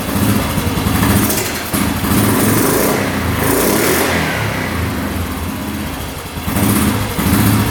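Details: 2009 Yamaha Grizzly 550 EFI ATV, air box off: crisp throttle blips rise and fall cleanly and return to idle without hanging or over-revving; previous high-idle fault gone.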